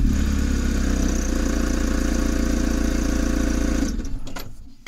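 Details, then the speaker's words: VW camper with a freshly swapped AHU TDI diesel engine, ticking over with a slightly uneven, lumpy beat before shutting off. It starts easily but has a rough idle, louder than expected; cause unknown. "to let it all start it's ticking over all right there's it there's a roughness to it there I don't like"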